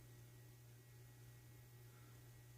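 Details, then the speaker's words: Casablanca Century 9000 ceiling fan with Slumber Quiet, run on a solid-state wall speed control: low steady hum under faint room hiss and buzzing fluorescent lights; the solid-state control makes the motor hum slightly, judged probably living-room quiet. "Because it was pretty common to find slumber quiet fans on solid state wall controls. You hear it? Yeah, a little bit."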